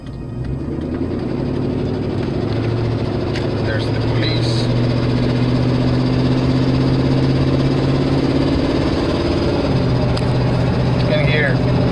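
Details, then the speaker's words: Truck with slow transmission response and power loss from catalytic converters damaged by a misfire: engine note climbs under load, then drops cleanly as the gearbox upshifts normally, though the catalytic converter still needs fixing. "engine shifting that's good we got it we just need to fix that catalytic competitors catalyst"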